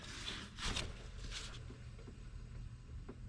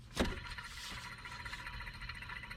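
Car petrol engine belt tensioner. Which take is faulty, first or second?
second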